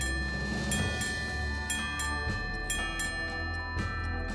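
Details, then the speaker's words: Vintage Chelsea ship's bell clock three months after overhaul: clear bell strikes in even pairs over a light steady tick, striking Navy bells every half hour and keeping accurate time; healthy strike and movement. "It keeps super accurate time and is happily striking out the Navy bells every half hour."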